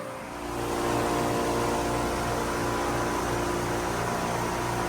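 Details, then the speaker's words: Grandma's Hyundai on the dyno, running on a nitrous system with a 35 jet: rough, choppy, struggling idle under heavy fan noise, barely staying running after earlier dying. "The thing is absolutely pissed and doesn't want to keep running, so that means we're just going to spray it more."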